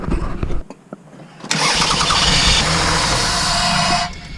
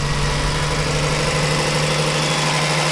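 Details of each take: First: 2002 Toyota Sienna 3.0L V6 that stopped starting: steady starter whirr cranks about three seconds with no firing or catch, then stops; crank-no-start from a failed fuel pump, fixed by fuel pump replacement. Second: 2002 Toyota Sienna 3.0L V6 at about 311,000 miles, idling after the fuel pump and blown fuses were replaced to fix a crank-no-start: steady, even idle with a smooth low hum and no misses, knocks or ticks; healthy engine.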